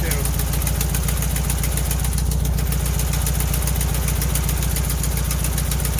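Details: 1968 VW Bus camper, air-cooled engine, just revived after years of storage and a rear engine fire, with new wiring, plugs, points and condenser; carburetor linkage a little gummy: steady, even low thrum, regular beat, no misses or knocks; idling smoothly.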